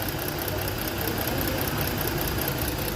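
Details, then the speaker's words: Ford engine misfiring at idle; uneven lumpy beat with stumbling engine note, one cylinder dead. Newly replaced and swapped ignition coil didn't fix it; coil supply about 13 V present but no spark at plug; suspected igniter module or harness. "they replace the coil by me a problem is still there so for me I'm trying to swap the ignition coil but the problem is still on that cylinder there is no power"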